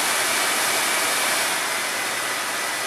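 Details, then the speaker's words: Newly installed over-the-range microwave's 4-speed exhaust vent fan, vented outside, run on high before cycling through its speeds: steady, even rushing airflow with no rattle, scrape or whine; working very well, normal. "Let's see, it's working very well. Cycle through all 4 speeds."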